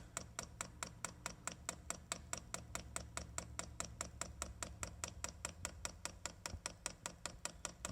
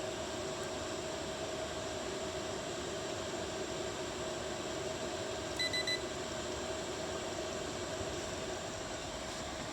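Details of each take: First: Chinese diesel heater on a bench test, first fire-up, fuel pump priming with fuel drawn up to the filter but the pump still running dry. Sharp, even ticking about four to five per second over a faint hum; should quieten once fuel lubricates it. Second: Chinese diesel heater bench-tested with the control unit in manual mode (thermostat bypassed), fuel pump turned up to full, up to temperature after about an hour of running: steady even whoosh of the combustion fan and constant hum, no surging or popping; normal running at full output.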